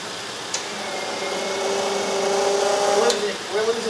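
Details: CVRT Striker hydraulic pump raising the ATGM launcher ram: motor runs with a wavering, droning whine that shifts pitch under load, strained and uneven; cause not clear.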